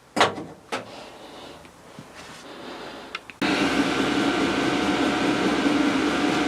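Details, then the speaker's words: Diesel heater after burning out a burn chamber clogged by diesel mixed with waste motor oil: a few clicks, then the burner catches into a steady, even roar with a faint hum; slightly wheezy at startup, possibly under-primed, then running normally. "so as you can hear it is working it was a bit Wheezy when it started up I'm not sure why that was but uh maybe I didn't prime it enough but it did sound a bit asmatic"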